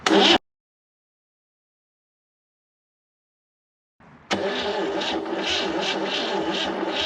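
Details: Forgotten Chevy inline six (230 or 250, uncertain) with rusted cylinders, after freeing a stuck valve with a pry bar: after a pause it catches and runs lumpy with irregular firing, rough running, cause unconfirmed.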